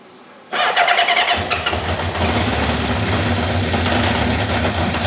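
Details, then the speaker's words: Honda CB750 K4 SOHC, first start after fuelling, damaged carbs and hacked wiring: cranks and catches, then runs lumpy and ragged, fighting itself; no cam chain rattle or top-end tapping, rough running from off ignition timing and carbs needing full service. "It was just a case of the ignition time is going to be off. The carbs, they're going to need a full hit."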